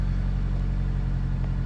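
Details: 2005 Toyota Corolla XRS that had set a cylinder one misfire (P0301): steady, even low idle with a smooth rumble and no misses or knocks, air pump then kicking off; engine sounds healthy at idle.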